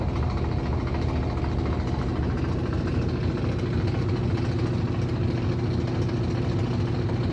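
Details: Aurrtech 18 lb portable washing machine, model AU0003, running loud with a low steady rumble and a loose knocking about twice a second throughout the run; cause unclear.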